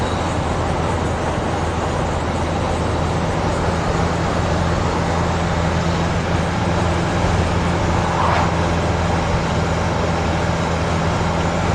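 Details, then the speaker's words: 1988 Mercedes T1 207D camper van with swapped-in CDI diesel, cruising about 60 mph at 2,500 rpm, in cab: steady, even low drone, no knocks, thumps or vibration; lovely and quiet, no shakes, wobbles or prop shaft vibration; normal cruise. "It's lovely and quiet in there. No shakes, no wobbles, no prop shaft vibrations, nothing."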